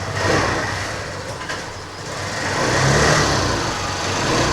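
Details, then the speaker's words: TVS Scooty Pep+ after CDI unit replaced and new carburetor fitted (previously stalled on throttle): small engine rises and falls smoothly through throttle blips, no misfire or stumble, wheel turning well. Normal revving; carburetor was the fault. "Wheel కూడా మంచిగా తిరుగుతుంది so వదిలేసినా కూడా మంచిగా bend బండి ఏ problem రావట్లేదు చూడండి మళ్ళీ రేజ్ అవుతుంది చూసారా"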